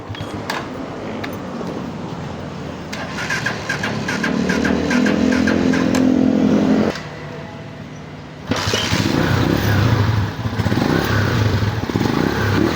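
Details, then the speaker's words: Microbike EXT motorcycle after tune-up adjusting loose tappets, formerly very noisy: starts and settles into steady, even beat with no top-end tapping; engine now so quiet it barely seems running. "So yun mga boss amo, napakatahimik na ng makina. Kala mo din na umaandar."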